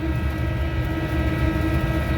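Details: Commercial kitchen exhaust fan found not running, with belt okay, switch on and motor not hot. It now runs, drawing under its 3.4 A rating, but has a deep steady rumble with a thin level metallic ringing hum, pointing to a worn motor bearing.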